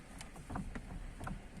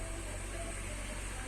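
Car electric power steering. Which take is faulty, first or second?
first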